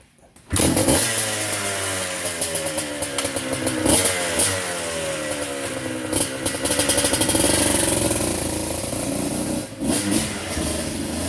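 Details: Vintage two-stroke dirt bike started: fires right up, then sharp crackle with repeated rising and falling revs responding cleanly to the throttle; normal running.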